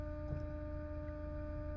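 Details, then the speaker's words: Porsche Cayenne V6 diesel with a no-power problem, engine off, diagnostic actuator test: the auxiliary fuel pump relay clicks and the pump gives a steady, clean electric hum with no rattle. Normal fuel pump operation. "I can hear the office for auxiliary fuel pump it's working you hear it that's the relay it's working that's for the auxiliary fuel pump"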